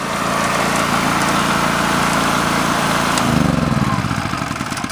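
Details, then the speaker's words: Generac GP 3250 portable generator after a fuel system clean, new carburetor, gaskets, fuel line, shut-off valve and triple oil flush: runs steady and even, then winds down at shutoff with no banging or clanging. "good no banging or clang or weird noises so the machines ready to go back to customers"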